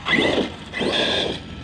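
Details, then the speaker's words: Losi DBXLE RC buggy, Castle XLX2 or Hobbywing 800KV combo: two sharp high-pitched screeches, each about half a second, as it puts down power; the centre differential is slipping. "oh you can hear the screeching from that Center diff slipping see how it's trying to come up oh definitely don't like that but watch listen for the screeching that'll be the center diff diffing out"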